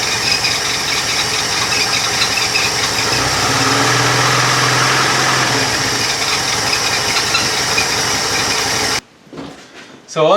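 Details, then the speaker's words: Opel Kadett after an oil and filter service, with the repaired lever that opens the throttle when the choke is pulled. Pulling the choke cable, with no throttle from inside, lifts the idle smoothly to a higher steady speed, then it settles. Normal choke fast idle. "and if you hurts there when I pull the cable you can hear the engines revs rise that was without any trottle on from the inside so that's working nicely now"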